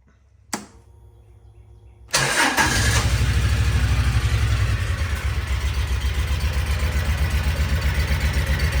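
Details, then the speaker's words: Kawasaki Mule 4010, liquid-cooled V-twin, starts and then suddenly loses a cylinder, settling into a lumpy, thumping idle on one cylinder. It is down on power, and the cause was a cracked spark plug. "It was running and then all of a sudden it just lost it. We We lost the cylinder. So, it's running on one cylinder right now."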